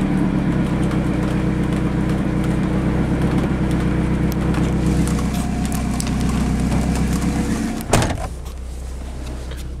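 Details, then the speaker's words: 1994 Ford Ranger four-cylinder, five-speed, 168,000 miles, headers, straight pipe with Thrush glasspack, no cat, mic at tailpipe: loud deep steady burble, even firing, no misses or ticks, then door thump; healthy idle. "sweet sounding truck besides the crack it's in the windshield"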